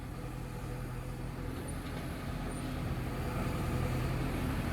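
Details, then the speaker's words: Diesel machine after bushing work, tested with the arm moving: steady drone rising slightly, no knocks or clunks from the boom and dipper joints; completely silent, though not yet greased. "Road पे आवाज आ जाए कोई आवाज नहीं silent है बिल्कुल बस Greece नहीं है अभी"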